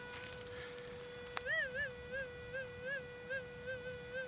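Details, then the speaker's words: Modded TDI Pro metal detector with noise-reduction circuit, hot ground near a transmission tower and power lines, gain at maximum: steady mid-pitched hum with a rising, wavering tone over a target, no interference crackle; stable. "all right there's a Target there too I just want to show you"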